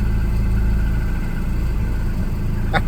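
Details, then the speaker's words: Volvo 240 with K-Jet fuel injection: starts after the cold start (fifth) injector is plugged back in, then runs rough at low revs with a wavering beat and begins dying; owner suspects the cold start injector is overfuelling, holds revs. "let's plug it back in and just see if that is an issue oh yes oh it's dying though I might hold the Reds up for it"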